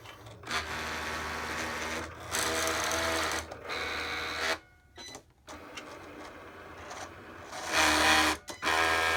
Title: Cricut grinding noise